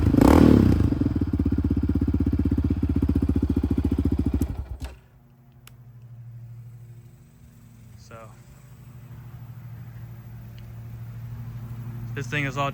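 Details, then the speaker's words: 2006 Yamaha Raptor 700R single-cylinder after a rectifier/voltage regulator replacement and coolant flush: starts right up, steady thump settling to a smooth, even idle with no misses; check engine light gone. "You know, it starts right up. So you can see here. [Music] Yeah. No more check engine light. Runs very smooth."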